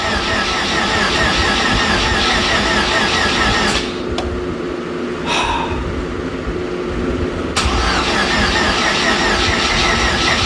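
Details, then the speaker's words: Supercharged hot rod on first start after new fuel system and Holley Super Sniper EFI install: long cranking at an uneven chug of about two beats a second without catching; earlier overfueling, distributor not locked out, battery needed charging; hard start. "I've tried to crank it once and I was getting way too much fuel but I also do not have the locked out distributor in here"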